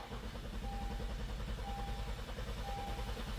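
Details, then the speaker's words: 2016 Honda Pilot with P2638 torque management code, cranking with all injectors disabled by scan tool: even, steady cranking pulses about three per second, consistent cadence, no knocks or skips; no mechanical issue. "all right so we don't have a mechanical issue based on how this engine sounds the engine Cadence sounds really good it sounds consistent and even so that's good"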